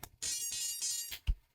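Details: Furitek Lizard Lite ESC in a CR18P RC crawler, powered up with program card plugged in: short run of bright electronic chirps from the motor, then a low blip; speed controller arming normally.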